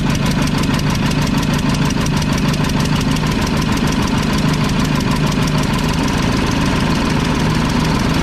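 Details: Mack tank truck diesel (believed 1995, 122,000 on odometer) while injector lines are tightened: heavy clatter at fast idle with an uneven beat as one cylinder misses; injection pump delivery valve found loose.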